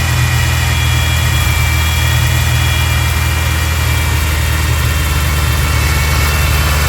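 Engine running steady with a loud low rumble and a constant high hiss riding over it, consistent with a big vacuum leak.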